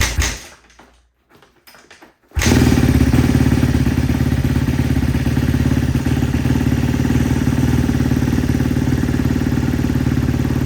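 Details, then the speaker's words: Rebuilt 2012 Kawasaki KX250F, first start: after a few kicks fires into a fast rattly idle with a light tick on top; intake valve clearance out of spec, valve floating. "As you can hear in the video, there was some ticking going on and I was trying to figure out what it was. I figured out that it was pretty much my valve floating"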